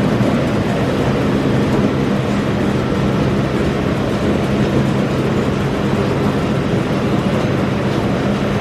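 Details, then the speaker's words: Massey Ferguson 40 combine (possibly 1996), sat 3 years, fuel and electrics refreshed, running with small clicking lift pump; steady deep diesel drone with even clatter, no misses or knocks, shaking the machine; diesel engine running. "never been on these things when it's been running and it does uh shake the machine quite a bit"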